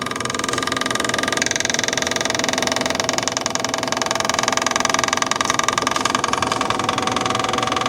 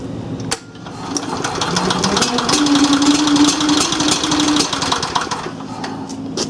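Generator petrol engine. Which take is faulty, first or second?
second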